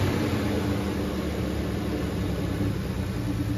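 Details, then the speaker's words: 1974 Plymouth Duster slant six, warmed up, idle screw turned out an extra turn and vacuum line plugged; steady low rumble with even smooth beat, no ticking or valve noise; healthy clean idle. "Man, that's a good engine. Almost can't believe it. Oh yeah. Sounds good too, I know."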